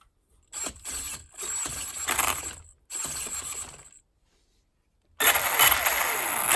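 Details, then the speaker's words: Losi 8ight Tekno RC with Castle Mamba Monster ESC and Castle motor, fired up after motor position and gear mesh re-adjusted (no play) and transmission fitted: short bursts of high-pitched motor and gear whir, no grinding or clatter; normal running. "We're just gonna fire it up and see if I've done everything right."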